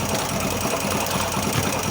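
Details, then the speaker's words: Yamaha YB single-cylinder motorcycle idling with clutch cover open and no oil: dense metallic clatter on the engine beat from marked clutch basket teeth. "Graças a Deus eu já sei onde é o barulho é na Campana no dente mesmo que ela tava com uma marcação"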